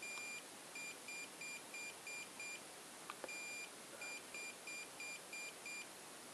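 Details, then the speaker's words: Salvaged Xiaomi M365/Ninebot-type e-scooter controller with the motor Hall sensors unplugged: one long beep and six short beeps repeating, error code 16, a motor Hall sensor fault. "2 3 4 5 6 4 donc apparemment c'est le code 16 donc un très long et 6,6 bip"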